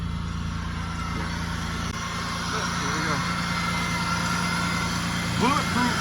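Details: 2003 Pontiac Bonneville 3800 V6, about 180,000 miles, after a new radiator, thermostat, coolant and ignition coil: steady, even low idle with no misses, knocks or ticks; runs smooth and healthy.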